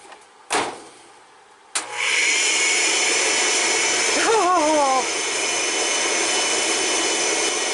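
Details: Ariston RV dryer running after its thermostat was rewired (black wire top, orange bottom): a couple of clicks, then the drum spins up to a steady even hum with brief chirps as it turns; running normally.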